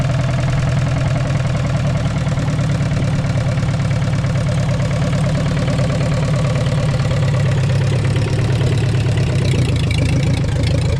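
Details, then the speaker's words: 1944 Ford 2N tractor idling with a leaking carburetor. A deep, lumpy idle carries a steady knock about three beats a second, heard more on one side. Its source is hard to locate; heavier oil is planned and the cause is unconfirmed. "it is really hard to tell where that noise is coming from I don't know"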